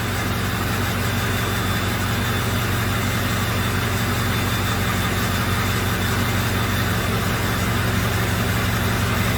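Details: 2005 Ford F350 6.0 diesel at warm idle with a slightly uneven, loping beat: misfire with low contribution on cylinders 4 and 7 and a glow plug fault on cylinder 6. Injectors suspected.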